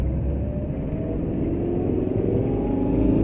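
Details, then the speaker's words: 2011 Maruti Suzuki Eeco on CNG after silencer noise fix, accelerating through gears past 60 in third into fourth: smooth rising drone, no exhaust rattle where noise was previously heard; normal acceleration. "कोई कोई आवाज नहीं है, लेकिन इस से पहले इस स्थिति में एक आवाज आई।"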